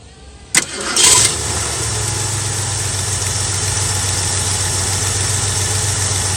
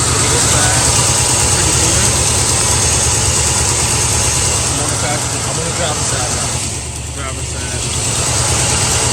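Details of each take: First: Carbureted Ford Mustang cold start after replacing an arcing spark plug wire: engine cranks, catches quickly and settles into a steady, even idle with no stumble or miss; misfire gone. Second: Carbureted Mustang V8 at idle: a slight tremble and jumpy rhythm with a cylinder dropping out now and then; a spark plug wire arcing to the header is grounding out that cylinder, causing the misfire and erratic idle.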